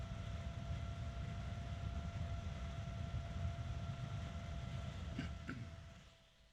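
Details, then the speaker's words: Evercool EC7015M12BA slim 70mm 3-pin ball-bearing fan (sold as StarTech FAN7X15TX3) at high speed: steady rushing air, thin whine over low hum, no bearing noise at speed; small fan spins very fast with fair power, normal. "as with all small fans that actually need to move air this one spins very fast and it has a fair amount of power to it"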